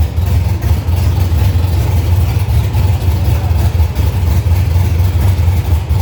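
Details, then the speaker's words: 1965 Chevy C50 truck with a 12-valve first-gen Cummins diesel swapped in, 5-speed manual, first run before tuning: deep, loud, steady low rumble with an even lumpy pulse and no knocks or ticks; normal running engine. "We got to hear it run, but Brian's got some fine tuning and stuff to do"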